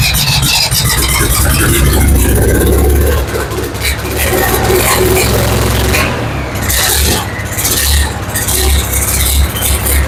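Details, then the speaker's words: Ford 7000 diesel tractor running after injection timing correction, timing confirmed as the no-start cause: steady low diesel thrum with even firing under wind and handling noise, no knocks or misses; normal running. "He helped me with the timing. Turns out that was the issue. Thing runs really good."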